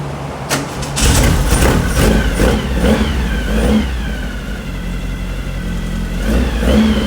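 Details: Brand-new 2332cc air-cooled VW Manx buggy engine, dual Weber carbs, on startup stand, first start: catches and is blipped in uneven rev swells for first 20-minute break-in; deep throaty note, no knocks or rattles, healthy.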